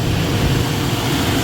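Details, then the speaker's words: Replacement belt-driven vent hood fan motor after previous new motor failed, belt tension set, pulling about 9 amps of 10.4 rated, running faster than the old one: steady even hum, no rattle, squeal or surging; normal running. "now that's a hell of a lot faster and better running than the other one"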